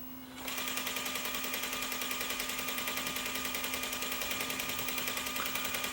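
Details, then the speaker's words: Sony EVS-7000 Hi8 deck in fast forward: fast steady tick about three times a second over high whirring tape transport; cracked reel gear ticking. "if I go into fast forward you're going to hear it going tick tick tick tick tick tick tick and then it'll it'll spill so watch this is this is what happens with the crack gear"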